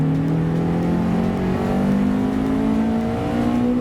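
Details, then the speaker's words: Honda Accord Type R, 113,000 miles, full dealer service history, stock box exhaust, accelerating with VTEC engaged after engine revived: strong steady note climbing smoothly through revs, clean pull, no knocks or rattles; healthy. "VCH pulls really well really well I don't know if you heard that but it actually sounds really really good"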